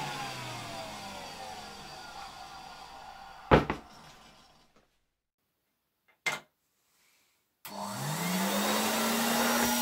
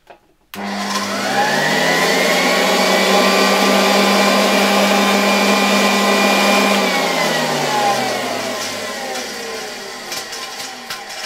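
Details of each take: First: 1966 Alfa K2 (A7F) vacuum with an SK-5b motor, reassembled and run on the table at slightly reduced voltage. The motor winds down, then restarts and climbs to a smooth, even, quiet hum with no rattles. It runs normally. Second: 1966 Alfa K2 (A7F) vacuum with an SK-5b motor, nearly unused but long stored. The whine climbs, holds and winds down with a rapid flutter of about three per second. Debris in the motor fan is suspected; the motor otherwise seems fine.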